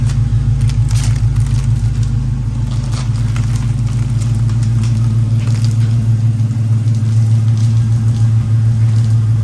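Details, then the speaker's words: 2010 Dodge Challenger SRT8 with Flowmaster exhaust and 77,000 miles, cold start after new intake manifold gaskets and Mopar OEM NGK plugs: a deep, steady V8 burble with even pulses and no misses, idling better than before and running on all eight. "she's running she's idling way better than she was she sounds healthier sounds like she's running on all eight here"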